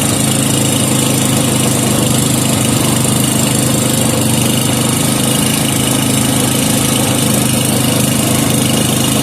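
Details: 5hp Briggs and Stratton with gear reduction, warming up after starting without choke: steady even single-cylinder putter at fast idle, no misses or knocks; smooth, healthy normal running.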